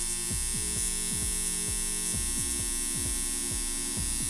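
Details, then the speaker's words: Homemade transformer, 110 V on primary, secondary giving about 43 V: loud, steady mains buzz with coarse edge; loose core laminations vibrating due to missing varnish. "como pueden escuchar aquí tenemos el sufrió que les mencionaba por afán por la falta de barniz y de que por falta de que nuestro núcleo que es más firme"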